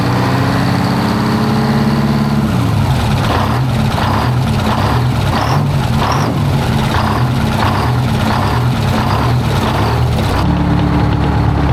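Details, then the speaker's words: 1973 Freightliner cabover with straight-piped Detroit 8V71 two-stroke diesel, just started after the blower refit, valve covers off: rough idle with faint rhythmic rubbing swish near the radiator, like the fan rubbing though nothing is touching. "It's got a weird like sound to it. I don't even know how to explain it in the radiator area. It's like the fan is rubbing on something, but it ain't."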